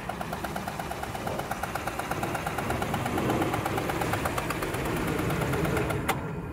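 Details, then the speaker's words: Rough idle with sharp regular tick at a steady fast rate; car reportedly has stripped spark plug hole on cylinder number eight after another shop's work, suspected, not confirmed. "it supposedly have a stripped out spark BL hole or number eight right here so gu I'll be looking at that and trying to fix it sounds terrible"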